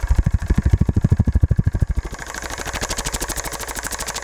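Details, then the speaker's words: CTI Cryogenics Stirling-cycle cryocooler compressor assembly bench-run on DC, raised from about 8 to 12 volts: rapid even thumping around two and a half per second with clicking on top, heavy vibration conducted through the table; cause unclear. "it's also shaking a lot more now and if you notice that sound most of the sound has been conducted through the [Applause] table so it sounds like there some sort of like a clicking going on in this [Applause] thing"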